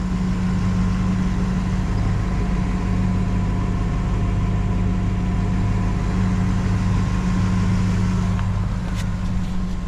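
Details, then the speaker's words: 2015 Ford F-350 Super Duty 6.2 L after replacing stolen catalytic converters and repairing exhaust, battery recharged after long sitting: steady, even low rumble at idle with no ticking or puffing; no exhaust leaks, idling normally. "All right, so this thing sounds great. Got the exhaust all put together."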